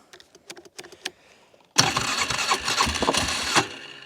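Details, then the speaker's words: 2005 (owner unsure, 2004–2006) Polaris Sportsman 400 that won't drive after mudding, started on choke in neutral: a few light clicks, then a loud harsh grinding roar for about two seconds; clutch or belt suspected, not confirmed. "It sounds like it's either the clutch, the belt. Something's making some horrible noises over there."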